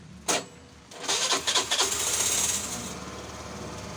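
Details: Scooter with hard starting, after replacing the original spark plug: a short whirring crank, then the small engine catches with a few uneven pops and settles into a light, steady idle; starts fine.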